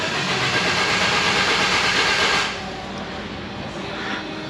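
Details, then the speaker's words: 1992 Geo Tracker off-road buggy, new plugs, wires, cap, rotor and coil: steady hissy cranking with even pulses about three a second, never catches, earlier backfired through intake and exhaust; crank no start. "it still doesn't start uh and when I did crank it a few minutes ago it backfired through the intake then backfired through the exhaust but it's got new plugs wires cap rotor"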